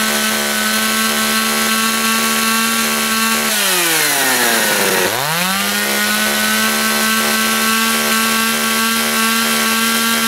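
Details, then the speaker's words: John Deere EV45 two-stroke chainsaw, made in Japan, no chain brake. Run at full throttle beside a bench to check bar oiling (oil flung off the chain). Hard, steady high scream dips briefly under load and climbs back clean. Pulls strongly. "so you're going to want to run a full tilt this is to tell if your oil is oiling if you can't really see it so what's going to happen here they're going to scream right there and then you'll see like a red line as the oil is getting flung off"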